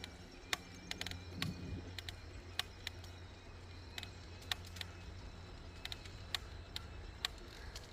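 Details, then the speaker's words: Bike on rail trail loaded with overnight gear: sharp irregular creaks and clicks over steady rolling rumble while pedaling, from a Brooks B67 saddle; fixed the next day. "creaking sound is a saddle. Again, I didn't move up any of the metal parts today. Figured it was okay. I tried it the other day. So, the Creek Creek is back still, but it is a saddle Brooks B67."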